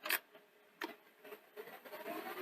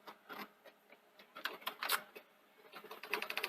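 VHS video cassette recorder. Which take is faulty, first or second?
second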